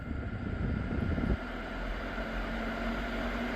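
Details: 2011 Dodge Grand Caravan front blower, key on, turned all the way up: after a brief rumble, a steady even airy rush with a faint constant hum; normal blower operation at high speed.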